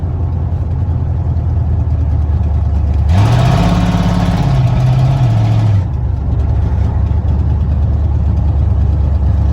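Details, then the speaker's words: 1987 Ford Bronco XLT, cammed 351W, Holley 4-barrel double pumper, straight-piped headers without mufflers, after winter storage: deep steady V8 rumble revving up and settling back on all eight cylinders, running very rich. Normal running. "definitely running on it all eight but man is he running rich very very rich"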